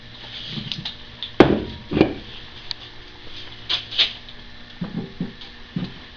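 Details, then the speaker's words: Ring and pinion setup with a new pinion and carrier shims at zero preload; rocking the gear by hand gives a few dull metallic clunks from slight backlash, later measured at about 0.005 in. "Now we got a little backlash in there, don't we? You can hear it."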